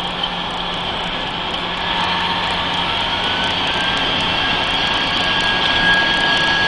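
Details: Mercedes-Benz 3340 truck diesel, turbo failure test: loud run with high steady whistling whine over rapid even chatter, sounding like a failing turbocharger.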